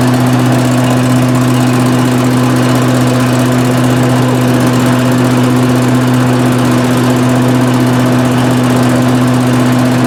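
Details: 18 hp Briggs & Stratton Vanguard twin on a Giant Vac leaf vacuum, stored four years, after a carburetor change: steady, even hum at constant speed with no misses, knocks or surging; runs like new.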